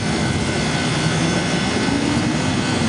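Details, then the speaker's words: Walk-in freezer condensing unit with new fan cycling control: steady, even compressor drone with condenser fan off while pressure climbs to 250 then cuts out below 200; setting needs adjusting, some liquid returning to compressor. "all right this compressor just froze up like that um because the fans aren't on downstairs"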